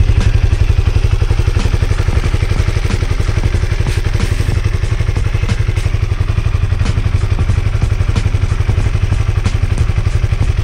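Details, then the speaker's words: Honda CB150R single-cylinder just after oil change, refilled with 1 litre of 100% cooking oil (Bimoli) after five months on the same; steady, even thump about four beats a second, no knocks or rattles. Normal idle. "nah itu Mbah suaranya setelah saya Nyalakan setelah ganti oli dan olinya tetap pakai 100% minyak goreng 1 liter bimoli"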